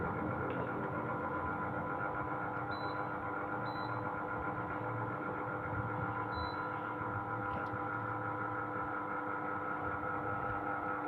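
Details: Sharp AH-A5UCY air conditioner, a Gree OEM unit, running noisily: a constant droning hum with a steady whine on top and a few faint chirps; cause unclear.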